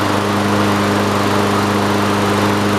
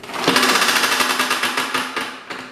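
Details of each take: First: Toro self-propelled push mower, single-cylinder engine previously with blown rod, slightly raised throttle, oil in cylinder after being tipped: smooth constant buzz, no surging or knocking until shutoff; runs healthy. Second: Toro self-propelled push mower with blown-up engine, pulled over by the cord: fast even clatter with no compression puffs; no compression and rod knock, blown rod, engine toast.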